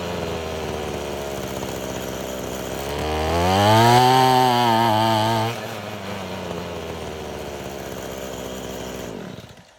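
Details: Abandoned weed eater after crimping the wrong-side fuel line so it draws only from the correct side: two-stroke climbs cleanly to full revs, drops to steady idle without stumbling, then shuts off; healthy.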